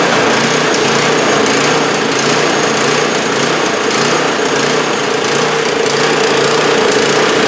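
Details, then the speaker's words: 2015 MTD snowblower small petrol engine at idle after choking, surging and loping as the governor keeps kicking in. Smooths out when the choke lever is moved, pointing to a lean condition. "you can clearly hear it loping at an idle you know how the local governor keeps you know kicking in"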